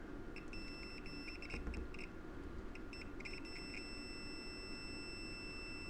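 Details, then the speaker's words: Hot tub that won't heat, control board relay tested with a multimeter: a few short, bright beeps over quiet room hum showing continuity, so this relay is good, unlike the burnt one beside it. "There we we go. So it's beeping."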